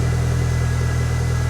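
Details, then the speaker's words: Rover 420 GSi Tourer small four-cylinder after fitting a bigger battery in hope of curing stuttering running: low, even burble settling into a steady idle without stumbling, in neutral; normal idle. "Well, that sounds more positive. Oh, that sounds much happier."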